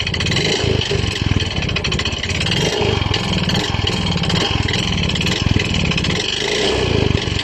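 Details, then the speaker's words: Yamaha Mio i 125 scooter engine, noise that began suddenly a few weeks ago: loud, steady rapid knocking over rough running; piston slap and connecting rod knock sound alike, so seat, box and battery must come off to confirm which. "Sa tingin niyo guys saan kaya nanggagaling ang malaking ingay ng kanyang makina kasi magkapareho lang po ang tunog ng piston slap at saka connecting rod"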